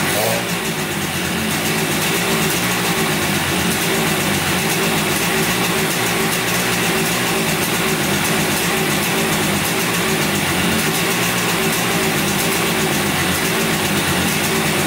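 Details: 1971 Yamaha CS200 twin two-stroke, sat over 17 years, recently revived: idle and revs with lumpy, uneven beat and hollow, off-balance exhaust note; owner suspects one cylinder not sparking; later spark found, left cylinder 125 psi compression.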